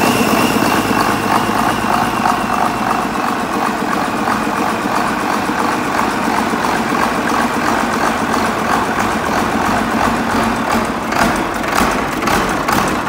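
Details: Case 2366 with Cummins 6TA-830 diesel engine after repair: deep, steady idle with even rhythm, no knocks or misses; normal idle.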